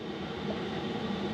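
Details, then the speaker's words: Vanagon 5 kW diesel air heater, floor-mounted install for Alaska winters, ramped to full blast drawing 3.7 A, rated 17,000 BTU; constant even rushing hum with low burner roar, no pulsing or rattles: normal full output. "Alright, that is full blast. It's as high as this little thing goes. And it's currently pulling 3.7 amp hours."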